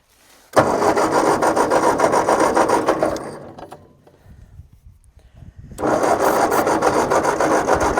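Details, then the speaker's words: Tractor with a rebuilt engine and glass fuel bowl; steady starter cranking, a pause, then more cranking with no firing after starting fluid, fuel seen pouring out as flooded; owner suspects a fuel or carburetor problem. "it it might be a fuel problem carburetor might need some work"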